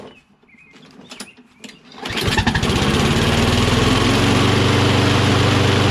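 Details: Toro Recycler XT675 Kohler mower: fires after a few pulls and settles into a steady fast beat; choke seems to hang. Owner suspects dirt at the choke butterfly flap joints, not a major fault; sprayed to clean.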